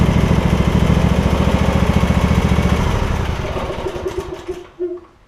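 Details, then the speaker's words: Husqvarna rider, 24hp Briggs V-twin, about 190 hours, after refitting fallen-off right-cylinder exhaust pushrod: even steady putter at firm idle, no misses or tapping, then winds down and stops; runs healthy. "They didn't even go over a half a revolution before it started up. That's awesome."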